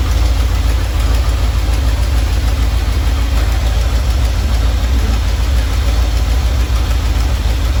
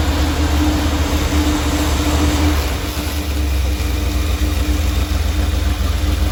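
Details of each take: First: Normal idle from either the 1977 Ramcharger 440 or the 1968 D-100 318 being revived: a deep, even V8 burble with no tapping or misses. It runs at about 800 rpm with timing about 3° ATDC, warming toward 185°F operating temperature, before a compression test. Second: 1977 Dodge Ramcharger 440 V8 first started cold: a deep idle with an uneven, stumbling beat. The 100 amp alternator is charging and oil pressure is good. The owner thinks it needs warming up.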